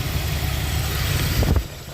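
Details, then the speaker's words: 1979 Lincoln Continental Mark V after new distributor and tune-up, timing set at 14°, vacuum advance connected: smooth low rumble with an even idle, no misses or knocks. "we got it set on 14° top dead center and we're going to fire it up for you and let you hear it run"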